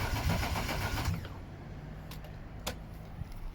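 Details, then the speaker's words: BMW E36 Coupe with freshly installed M52B28 2.8 six from a Z3, cranking with the fuel pump relay deliberately removed to build oil pressure first: about a second of steady, even cranking with no catch, then quiet. Crank, no start, no fuel. "So everything's hooked up. I've gone around the back. No start."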